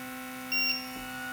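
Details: WLToys Sky-King F959S glider, brushed motor, 2S 300mAh lipo: short high-pitched beep over a faint steady motor hum. Cells at 3.81/3.80 V resting sag to about 3.4 V under throttle, tripping the low-voltage alarm, and recover as the stick is lowered.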